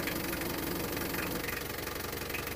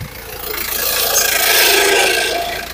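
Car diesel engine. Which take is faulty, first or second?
second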